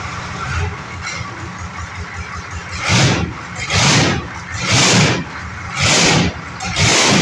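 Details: Detroit Diesel engine on a lawn mower project, cranked with throttle held wedged wide open; loud rough chuffing bursts about once a second as it cranks hard trying to catch; hard starting.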